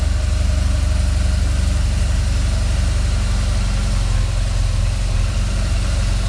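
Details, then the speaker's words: BMW R1200GS boxer twin at idle: a fast, light rattle over the steady low thump, coming from near the gearbox. It is traced to the clutch rod that activates the pressure plate, found with the clutch cylinder removed. "yes it's about the rattling noise let's find out from where the rattling noise is coming and which is the cause so let's find out why we take out the clutch cylinder and we find the clock the rod which is activating the pressure plate"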